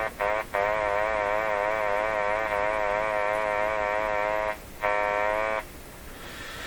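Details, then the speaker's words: Philco 38-C7 tube radio before IF alignment: a steady whistling tone wavering gently up and down, cutting out briefly twice, from a sweep ending at 500 kHz, off its dial; owner suspects it is tuning down into its own IF range. "How can this radio hear the sweep? The sweep is ending at 500. 500 is not even on the scale. 500 is down here. How can it hear it? This dial is so far off that in fact the radio is tuning down into its own IF range."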